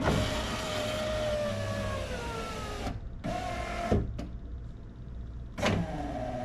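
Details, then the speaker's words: 2005 Jeep Liberty KJ passenger front window after regulator replacement, tested before door panel fitted: slow, noisy motor whine dragging under load; original mounting screw pressing on a regulator spring pulley. "supposed to sound like that. Screws. Pushing. You get that? Looks like the screw's pushing on the one spring pulley."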